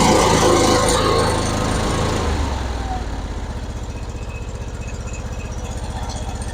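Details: John Deere LA-series (LA150) twin-cylinder mower, formerly hard to start, after a cold valve adjustment to 0.005 in and spark plug regap: brisk even cranking catches quickly into a steady idle pulsing about four times a second.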